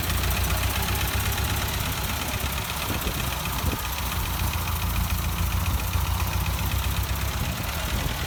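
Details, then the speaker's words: Ford 8N tractor after tapping the stuck-open number four exhaust valve to free it and restore compression; a deep, even chug at a steady low idle with no missing beat or tapping. Normal idle. "that sounds better for a long time"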